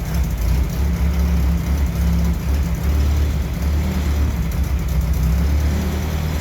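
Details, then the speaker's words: 1968 M151A1 jeep engine started, still needing fuel pump and carburettor rebuild; deep steady rumble with gentle rev swells, even firing, no knocks or ticks; normal running. "I think that's proof of concept it's getting a little hazy in here I guess I'm definitely happy with it it sounds good"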